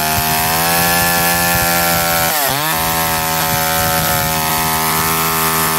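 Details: McCulloch Eager Beaver 2.0 chainsaw after rebuild, spark arrestor back on, probably warm, run to burn off old gas: high, steady two-stroke buzz dips briefly and recovers cleanly to full speed; runs strong and even.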